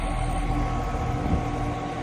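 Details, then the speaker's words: Outdoor AC condenser running after plastic cushion feet were slid under the fan guard: a steady low hum and fan whoosh with the previous fan guard rattle gone. "Look at that. No freaking rattle."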